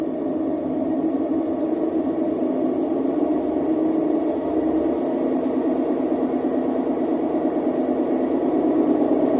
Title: Electrolux professional W365H Exacta control - Very unbalanced spin with bad bearings!